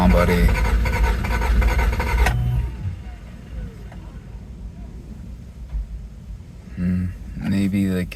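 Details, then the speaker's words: 1987 Toyota MR2, long non-running, low on gas, cranking to build oil pressure: a steady churning crank at about three and a half beats a second that never catches, then short bursts of cranking; it turns over without firing, cause unconfirmed (earlier, poor fuel). "You know, it didn't start. We had it starting before and now it doesn't."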